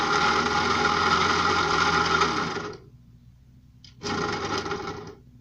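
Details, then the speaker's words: Puch E50 moped two-stroke, formerly seized; the throttle cable sheath is pulled by hand because the cable is badly adjusted. It buzzes about two seconds, dies, then briefly catches again, running only with the throttle held open; the aftermarket carb is also suspected. "it worked when I held the throttle cable out so it needs some sort of adjuster II type thing in there"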